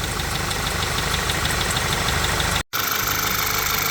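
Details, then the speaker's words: VW Jetta after engine work and fixing an oil leak at the balance-shaft tensioner, not yet warmed up: steady, even idle with a light regular tick and faint belt chirp. It sounds happier and runs smoothly. "sounds a lot happier now still getting a little chirpity chirp off of that belt"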